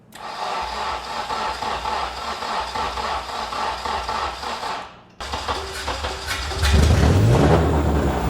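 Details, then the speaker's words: K24-swapped EK Honda Civic, first start after swap once ECU power and grounds were fixed: several seconds cranking, then catches and runs unevenly with climbing revs and heavy smoke; rough running on first start. "Oh We're about to smoke ourselves out. Look behind you. Maybe the engine wasn't so good. >> Hey, it works though. >> It did. It fired up."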